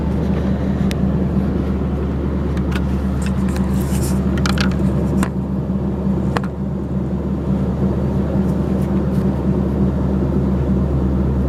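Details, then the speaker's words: V8 exhaust with the first cats on the headers, the remaining cats hollowed out, and Flowmaster mufflers with 2.5-inch tail sections: a deep, steady rumble with an even beat and no rattles or puffing leaks. Normal exhaust note. "Um through Flowmasters and it still has the first set of cats but the others have been hollowed out and so that combination of the cats on the header and then the Flowmasters gives you uh well, this sound."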